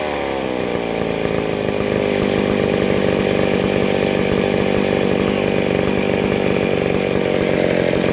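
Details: McCulloch 797 chainsaw after converting to a Stihl 090 Tillotson carburetor, idle not yet adjusted, first test run outside: catches and settles into a steady high buzzing run without stumbling or cutting out; running fine.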